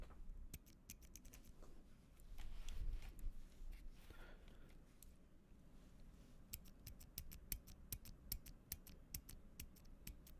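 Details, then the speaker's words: LK67 keyboard, stock Gateron Silent Black switch pressed close-up with gain turned up before lubing: dry scratchy rasp, faint metallic leaf-spring ping and some spring noise; lubing removed these. "can hear the scratchiness you can hear the the leaf spring leaf pinging sound and you can hear a bit of the spring okay so that's the stock switch"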